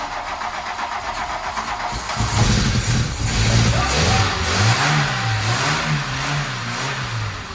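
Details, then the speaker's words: Barn-find Mk2 VW Golf after long storage, cranked to fill fuel filter with fuel reaching lift pump: starter churns about two seconds, catches, splutters with wavering revs, then runs sweetly; normal first start. "The cops have spluttered a bit and fired into life. Sounded absolutely sweet as a nut."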